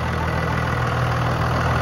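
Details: 2000-2002 Dodge Ram 2500 diesel after fuel filter replacement, idling while checked for leaks: steady, even diesel clatter with smooth low rumble, no misses or knocks; idling normally.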